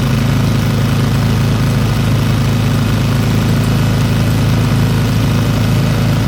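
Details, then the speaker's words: Old Briggs & Stratton single-cylinder petrol engine rescued from the trash, running after opening the carburetor needle valve; even steady low putter, about four firing pulses a second, smooth enough to hold with one hand, no misses or knocks. "that's pretty incredible look how smooth that is I can hold it with one hand somebody had that thrown away"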